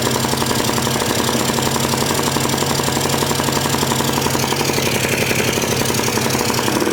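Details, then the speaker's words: 1998 Polaris 400 liquid-cooled two-stroke ATV with new cylinder and piston kit, no airbox fitted: loud rattling run with ragged, uneven beat; owner suspects it is loading up. "Sounds like it's like it might be fouling. Like I mean not fouling but loading up. It's hard to tell because I don't have an airbox."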